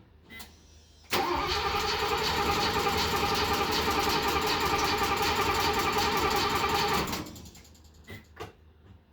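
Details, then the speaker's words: Mercedes 280SEL 4.5 with a new battery and a replaced fuel pump: steady cranking at about three and a half beats per second for six seconds without catching, with the fuel pump audible. Cranks but won't start; cause not confirmed. "by the way folks I did go buy a new battery so we got a battery in it a new battery so that's the reason why it's cranking cranking I can hear the fuel pump"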